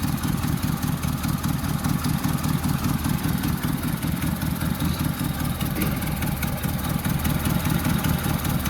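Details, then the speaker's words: 1976 Mustang II, manual four-speed, warmed-up idle: an uneven light rattle about two or three per second over the low engine note, from a loose part; alternator bearing noise also noted. "And that rattling is this fucking shit in here."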